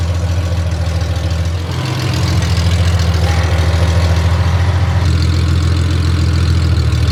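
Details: Honda Gold Wing six-cylinder running on open headers with no collector while curing freshly VHT-painted header pipes; loud, rattly, unmuffled drone with cracking on the exhaust side, a harsh open-header note.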